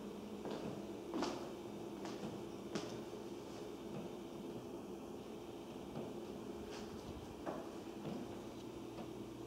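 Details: Upstairs master-bathroom toilet flush; scattered dull knocks and thuds at irregular intervals heard in the family room and kitchen ceilings and laundry room below; owner calls it water hammer.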